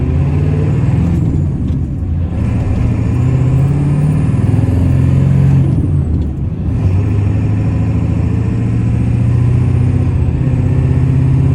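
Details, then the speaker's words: 1995 Ford F-350 dually, 7.3 Powerstroke diesel, about 121k miles, driving uphill through the five-speed manual: engine pulls, dips briefly at each shift and picks up cleanly, no grinding, clunks or hesitation; normal smooth shifting. "we're gonna head up the hill here you can hear and listen how smooth this five-speed shifts runs to the gears"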